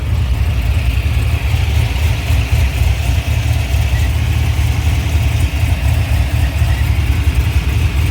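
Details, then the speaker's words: 2005 Chevrolet Silverado 6.0 V8 with MadMax 110 LSA cam, long tubes and base tune, after replacing plugs and coils for misfiring cylinders 1, 4 and 8: deep, steady, even rumble with no skipped beats; normal idle. "After we changed some plugs and changed out the coils, we are set."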